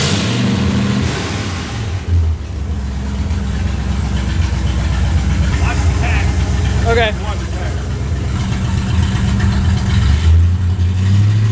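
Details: Restored Ford Galaxie 500 V8, timing 15 initial, 36 total; deep even burble climbing cleanly on each rev to almost 3,000 rpm and settling, no misses or knocks: normal running.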